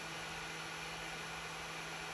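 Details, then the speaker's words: Tronxy XY2 Pro 3D printer preheating, heated bed set to 50°C and extruder to 200°C: constant airy whoosh with steady low hum underneath; printer fans are seriously noisy. "And then as you guys can hear right now, this thing is seriously noisy."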